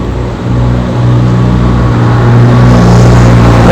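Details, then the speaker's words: GMC that had P0300 misfire code, check engine light, unstable idle; engine started and revved, picks up cleanly with even rising drone, no stumbles or popping, no cylinder misfiring on live data. "तो गाड़ी हमारी start है और 00 है कोई भी यानी के सिलेंडर स्क्वायर नहीं कर रहा है गाड़ी को मैंने रेस भी दी है तो कोई भी सिलेंडर में इस बार नहीं कर रहा हूं"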